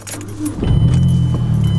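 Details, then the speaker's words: 2009 Mazdaspeed3 being appraised for trade-in, restarted in neutral. A brief crank, then it catches almost at once and settles into a steady low idle, with keys jingling. A normal, quick start. "cranks up nice and quick for us"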